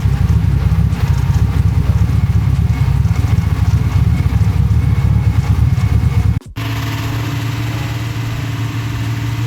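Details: Datsun Z car, back after six years off the road, after remote tuning and ECU grounding fixes: deep even exhaust rumble, brief cut, then steady lighter hum; running smoothly.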